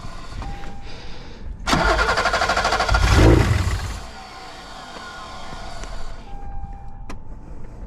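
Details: 1986 BMW 325e E30 sedan that turns over but won't start, injectors getting signal: starter churns, engine briefly catches and flares on fuel sprayed from a bottle, then dies.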